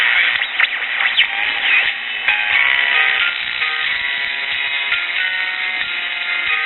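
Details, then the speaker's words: Early-1960s Bulova pocket transistor radio, powered directly: stations come through thin and tinny with sweeping whistles and oscillation across the dial; transistors likely good, early Japanese electrolytic capacitors suspected. "we're receiving all of the local stations but as you can hear a lot of oscillation and other undesirable effects going on here"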